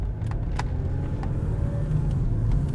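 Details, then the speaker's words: 2008 Toyota Sienna minivan on road test: steady low droning roar under road noise at street speed, no knocks or clicks, louder when turning left; a worn wheel bearing, possibly left side. "something about wheel bearing diagnosis when you drive it gets louder when I turn left this one actually might be a left side but it's so loud"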